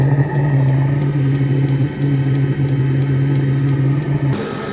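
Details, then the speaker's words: Brand-new Vevor compact diesel air heater, started by remote, meant to heat a 1974 Boler RV from about 46°F: steady low hum, faint evenly spaced fuel pump ticks and a smooth drone; it has lit and runs normally. "Okay, so to demonstrate on this run, we're going to try the remote on. All right, I think she fired up."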